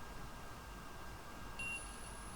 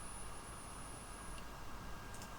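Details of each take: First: ESP32 programmed with ESP-IDF driving an intro buzzer: a faint, steady high beep starts partway through and holds about one second over room hiss, sounding as programmed. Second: ESP32 programmed with ESP-IDF driving an intro buzzer: a thin high beep holds about three seconds instead of the intended one second; the buzzer stays on too long, cause not yet found.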